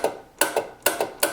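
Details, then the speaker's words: 1968 Magnavox Astrosonic solid-state radio, relay unit box switching inputs: crisp paired clicks about every 0.4 seconds, clean and even; relay working normally. "And if you notice, you can actually hear it clicking internally to change the inputs."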